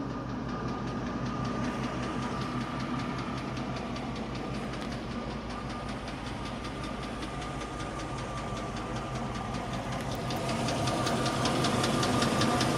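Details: 1998 Range Rover P38 at idle: steady, fairly heavy top-end ticking that keeps time with engine speed; heavier than before but still seemingly at valve speed; cause not pinned down.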